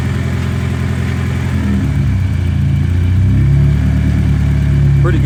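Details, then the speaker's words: BMW E30 with M42 engine on a newly installed, barely tuned MegaSquirt, no wideband yet: idle rumble that rises and dips over a few seconds. Surging because the tune still needs work; idle surge. "Pretty good for the most part. Still have a bit of surging. That's just because the tune needs to be worked out."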